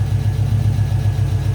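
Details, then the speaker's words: Abandoned Pontiac GTO project car, first run after revival, engine not yet hot: deep steady even thump at about 870 rpm idle, 45 psi oil pressure, lifters quieting down, no misses or knocks, quieter than expected; normal idle. "It sounds pretty quiet. It actually doesn't sound that loud at idle. I thought it was way louder."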